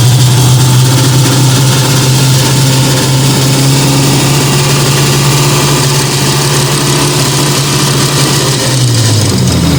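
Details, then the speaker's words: Fiat 125 twin-cam running on CNG with new gas injector at the carburettor and original air filter refitted, just started; smooth even idle, steady low drone settling lower near end, no misfires or stumbles, runs very well. "Ahora voy a tocar un poco la baja. Espero que se escuche. Ahí está. Anda espectacular, Anda muy bien."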